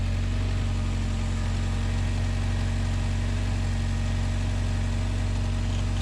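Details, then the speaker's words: Turbo Honda Accord after repairing under-car damage and a fitting, prepped for dyno day aiming at 500HP: engine starts in one second and idles smoothly and evenly with a steady beat, no ticks, rattles, hunting, drips or leaks underneath; normal idle. "So, I think we're back. No drips, no issues, no problems, no rattles."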